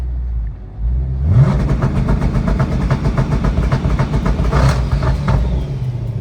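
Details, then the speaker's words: 2011 Ford Mustang GT twin turbo on a newly installed N2MB two-step set near 3,000 rpm with misfire logic off; turbo spooling, rough popping stutter, keeps misfiring then returns to normal. Cause unknown. "But, she keeps misfiring, though. See? Misfiring, misfiring. Then back to normal. That's very weird."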